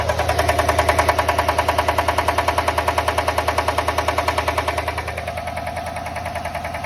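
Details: 2020 GMC Sierra 6.2L V8 at idle with code P0305, cylinder 3 misfire: sharp steady tick about three times a second; lifter suspected, not yet confirmed before teardown.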